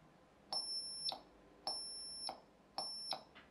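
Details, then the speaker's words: Ein O's Morse code kit with its original piezo transducer: short, very high, thin beeps about one a second, barely audible; the original piezo is so high-pitched it is nearly inaudible, and a substitute door-alarm piezo drops the frequency. "of you youngsters might be able to hear X is very high-pitched but if I put this in it drops the frequency and I can hear it"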